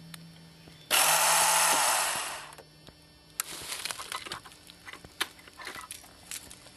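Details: Honda CB700SC Nighthawk, two days after front brake pads, fork seals, engine cleaner/WD-40 spray and carb synch: one pop or click, then a brief high electric whir like a fan, with no cranking or firing. The starter spins without engaging the engine.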